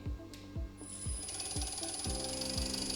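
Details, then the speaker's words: Bosch common rail diesel training bench with high-pressure pump, feed pump, rail and injectors, running and accelerated: crisp, regular ticking about two per second over a quiet hum; normal injector firing. "para ouvir aí já o barulho da injeção."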